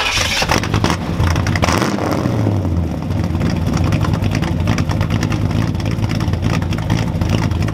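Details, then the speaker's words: 1966 Chevrolet Impala V8 with new exhaust badly welded and clamped: deep burble with sharp puffing and ticking chuffs over idle and blips, loud and raw; many exhaust leaks. "of welded on really badly with exhaust clamps and there's a lot of leaks leaks a lot of them"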